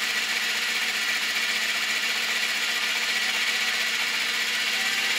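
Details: Honda CB650 Custom at idle after a very cold start and warm-up: fast, light, uneven ticking about four times a second with slight backfiring; owner suspects clutch or cam chain area and valves on cylinders 3 and 4, cause undetermined.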